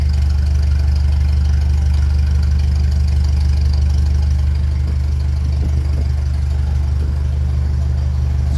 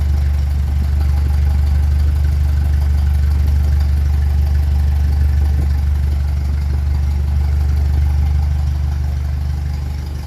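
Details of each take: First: 1957 Ferguson 35 TVO tractor after cylinder head rear plate refit: steady even low thump at about two beats a second, nothing knocking; idle around 800 rpm is too high, to be brought down toward 400. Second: 1957 Ferguson 35 TVO tractor idling after a plate was refitted behind the cylinder head, no proper coil yet: a deep, steady thrum at about three beats per second with no misses or knocks; healthy, smooth idle.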